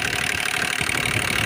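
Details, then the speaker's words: Hyundai Grand i10 diesel (2015 per tags) at idle: rapid light even tapping over the engine note, sound has worsened; mechanic suspects timing chain, possibly piston, not yet confirmed. "तो problem ये है, गाड़ी की जो sound है थोड़ा बिगड़ गया है। तो देखिए, सुनने में थोड़ा अजीब सा साउंड लग रहा है।"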